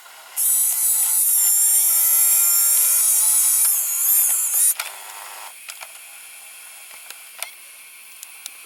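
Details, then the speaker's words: JVC GR-AX33 VHS-C camcorder, opened and running with a cassette missing its cover: high steady motor whine for about four seconds, then light clicks as the tape wraps the rotating head drum; mechanism normal. "as you can see this is pretty special also quite interesting the drum is rotating so the tip is wrapped all the way all the way around it because it is a smaller"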